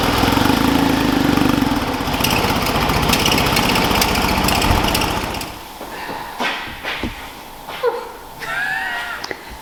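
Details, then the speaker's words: Porsche 911 flat-six idling with uneven stumbling beat from one bank misfiring, engine management light on after cold days, then engine noise drops away; ignition coils later replaced. "it's also brought the engine management light on it's running really rough and so now we've got another problem with this car"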